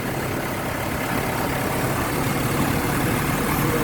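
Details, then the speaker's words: 4G63 engine after repair; the misfire and shaky running came from a faulty water temperature sensor and the check engine light is cleared. Steady, even idle with a low, smooth hum, no misses or stumbles. "Ito na yung andar niya. Tahimik na."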